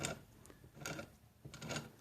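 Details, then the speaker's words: 1967 Wheel Horse 857 Lil Mule garden tractor transmission, reassembled without oil, axle spun by hand: light scattered ticking of dry gears meshing, spins free with nothing binding; normal before lubrication. "spins nice and free again you just hear a little bit of that gear noise only because there's no lubrication"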